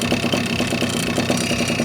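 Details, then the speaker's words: Puch Maxi with large 70cc cylinder idling stationary, microphone held close to cylinder: busy tinny rattle and faint metallic ringing on each pulse; cooling fins lack rubber dampers, so rattles are amplified. "I take my microphone and now you can hear rattling."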